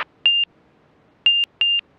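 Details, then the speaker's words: Montaer MC-01 all-metal light sport aircraft on final approach to runway six: clear high beeps, one short then a pair, over a quiet cockpit. The angle-of-attack warning gently signals it is getting slow. "there's our airway telling us that yeah we're getting slow but it's nice though you could fly with that gentle beep and know you're hanging it a little bit without being too slow"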